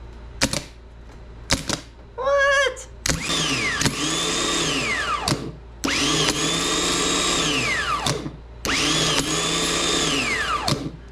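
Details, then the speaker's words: 1988 Camaro RS sat about 10 years, starter wire-wheeled (previously spun but wouldn't kick out): several short high whirring bursts spinning up and winding down cleanly; starter now spins freely and drive engages; no fuel pump yet. "that was cool but I think the starter is going to work"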